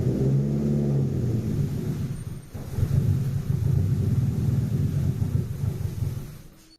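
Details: 1989 or 1990 JDM Nissan Pulsar GTI-R, replaying run before fix: deep uneven rumble at low revs, lumpy, sagging near stalling without throttle; rough running from vacuum leak via disconnected pipe.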